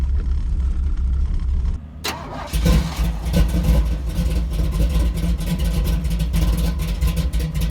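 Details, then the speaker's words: 1983 Chevy C10 square body small-block, sizeable cam, no-choke carburetor, tune not meant for easy starts: long cold cranking that stumbles, then catches into an uneven, lumpy loping idle; hard cold start from no choke and big cam. "it takes forever square buddy doesn't have a choke and it's got a pretty good sized cam and it's the tune it's not really meant for you know easy starts"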